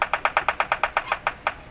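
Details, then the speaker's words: Stromberg Carlson Model 515 radio on bench with signal generator input: sharp crackling pops about eight a second, then thinning and stopping; intermittent popping from the radio, cause unclear. "That's got to be this radio making that popping sound. Gone now, though."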